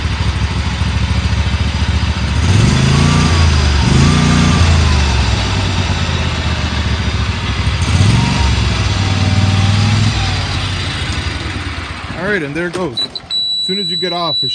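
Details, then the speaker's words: Used Dixie Chopper XG2503 zero-turn mower, Generac gas engine, blades untested; smooth steady run through a few throttle rises and dips, no misses or knocks, then shuts off; motor sounds good, drives forward and reverse; normal running. "but um motor sounds good it runs forward in reverse"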